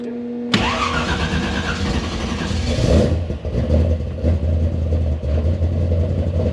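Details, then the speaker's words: Monte Carlo engine swap V8, third start attempt after adjusting and refitting distributor, testing for oil pressure: fires cleanly and settles to a steady, even idle with no knocks or ticks; oil pressure finally achieved, engine sounds healthy. "ready all right we got oil pressure finally finally okay good let's go"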